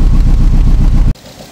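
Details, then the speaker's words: 2007 Nissan Tiida/Versa at idle, heard at the exhaust: uneven lumpy chuffing with a missing beat, misfire (P0300) from no injector pulse despite new coil, plugs and injectors. "पीछे जाके आप check करेंगे तो उसमें miss wire आपको automatically पता चल जाएगा कि इसमें कोई सिलेंडर काम नहीं कर रहा।"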